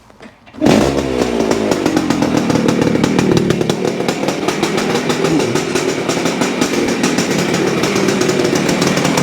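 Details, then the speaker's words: 1973 Yamaha CT-3 175 Enduro two-stroke at high idle: fast, rattly, uneven beat with an occasional skipped beat; misfire suspected from crankshaft up-and-down play moving the points cam, owner suspects worn main bearings. "it is like it misses one once in a while and I think that's from the up and down movement that we're seeing here"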